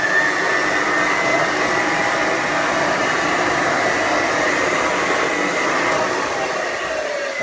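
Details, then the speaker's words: Hoover model 450 upright vacuum (1933–1935, 290 W motor, small beater bar) running: steady high motor roar with whistling tone near 2 kHz, no knocking; weak pickup because brush roll bristles are eaten away, little left on the brushes. "Yeah, but we're going to show the reason why this one doesn't pick up that well. Underneath. The brush roll. The brushes. The brushes are being a bit eaten, like, so there's not a lot left on the brushes."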